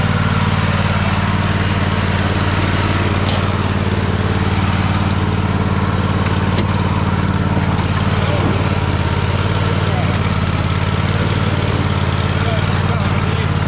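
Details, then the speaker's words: Free Troy-Bilt riding mower, started with help while the carb shut-off solenoid clicks, needing a solenoid: steady low, even twin drone under drive in reverse, no knocks or misses, sounds healthy. The belt smells of burning rubber and is possibly the wrong belt. "There it is. So yeah, it runs and moves."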